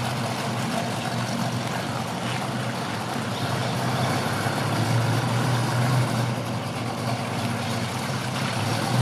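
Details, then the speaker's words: 1965 Ford Mustang coupe, rebuilt 289 V8 with mild cam, 4bbl, electronic ignition, dual exhaust: deep steady idle with slight cam lope, even firing, no knocks or ticks; healthy. "and so you like like might like to hear that cam a little bit yeah it sounds good doesn't it and it drives nice very strong engine"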